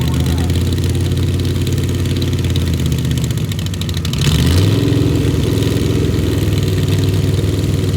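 Low, lumpy idle with an uneven beat that stumbles as the revs pick up, pointing to a misfire of unknown cause.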